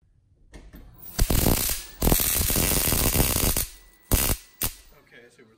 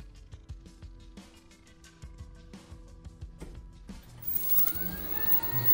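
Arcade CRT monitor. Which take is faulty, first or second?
first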